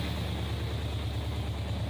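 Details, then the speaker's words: 1964 Plymouth wagon 440 V8 on first start, replacement carburettor: even, deep lope with steady low pulses and no misses or knocks; healthy, settled idle. "Fire right up. And it's pretty smooth. Old ugly ass motor sounds pretty good."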